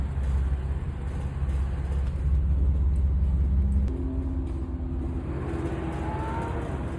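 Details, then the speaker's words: 2015 BMW F82 M4 at Pocono after a second track session, new ECS slotted rotor kit, high-temperature fluid, soft pedal: engine rumble, then thin rising metallic squeals and faint clinks heard outside as the brake pedal is pumped; source unclear. "After the second session, I started hearing this weird metallic noise outside the car as I'm pumping the brake pedal."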